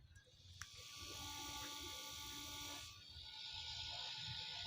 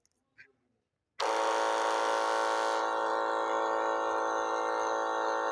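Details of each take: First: Battery-powered double-motor agricultural sprayer pump motor, run on its own after repair: light, steady whir with even high tones and no rattle or grind; runs smooth and quiet. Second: Battery sprayer pump with two motors: the bad motor gives a loud, rough, raspy electric whine at one pitch, while the other motor runs smoothly; opening it up shows excessive shaft play from wear.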